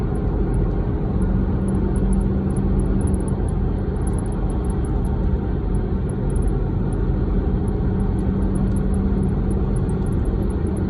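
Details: 2014 Dodge Durango while driving: quick, very high chirps in irregular clusters over steady road rumble, coming from the driver's side rear; cause unknown.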